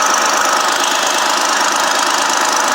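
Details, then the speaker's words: 2006 Dodge Magnum 3.5 at idle before repair: fast, sharp ticking over a steady idle, hissy and close-up, condensation escaping at the leak; loose, leaking exhaust manifold, to be removed and welded. "see some of the condensation coming out that leak there. The exhaust manifold is loose."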